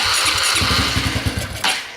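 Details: Dirt bike test-fired after fitting a new chain: it coughs and stumbles through uneven firing pulses for about a second, then fades out without catching; hard starting, and the owner suspects it is almost out of gas.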